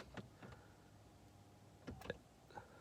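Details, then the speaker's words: 2014 Toyota hybrid that won't start: sharp, irregular clicks over a faint hum when the stiff brake pedal is pressed. A small motor buzzes nonstop and hazard and interior lights are dead. "press down on the brake a bit harder and then this clicking starts"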